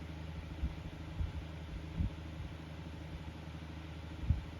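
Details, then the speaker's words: Kuo Horng KH-901 9-inch oscillating desk fan, previously serviced, worn thrust washer leaving extra shaft play: low steady motor hum with irregular dull knocks, rattle and vibration from worn bearings and shaft. "but that Rattle and the vibration is nothing new it was already doing that"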